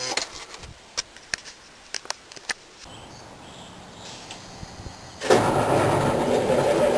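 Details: 1987 Wanderlodge PT40 with 8V92TA Detroit Diesel, first start in about five months, camera outside: a few clicks, then the diesel catches and settles into a strong, steady roar. Starting was slow because the prime was lost and there was a minor battery problem, but it runs well.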